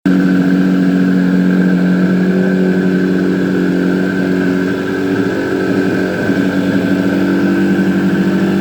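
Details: Suzuki GT250 two-stroke, first start after rebuild: steady burble with constant tone and even rhythm, no knocks or misses; normal smooth idle.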